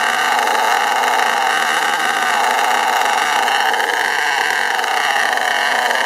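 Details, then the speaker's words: STS D30M engine running in, smoky exhaust: high, sustained screaming note holding near top revs with throttle untouched, stopped by applying brake; runaway high revving, cause unknown. "so as you can see pretty Smoky I don't know why it's doing it I didn't touch the throttle any I had to J the brake on to uh to stop that"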